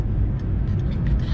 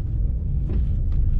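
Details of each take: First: Car driven over potholes after the owner traced a clunk suspected from the stabilizer bar or end link: only a soft low road rumble, no clunks or knocks. The noise is gone. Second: Car driving on road: irregular sharp front clunks with bumps over steady road rumble; owner suspects a loose stabilizer link nut, also knocks when the fender is lifted and lowered; not confirmed.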